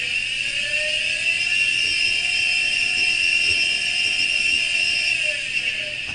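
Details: Steady, high whistling whine from a hard drive with failing spindle ball bearings, one of the hard-drive failure sounds that mean data should be backed up now.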